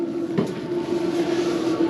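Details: BougeRV diesel heater ported into the side of a '78 GMC Motorhome, running on its high setting with 176-degree air from the outlet: steady fan rush, constant mid-pitched hum, no knocks or surging; normal smooth running at high output.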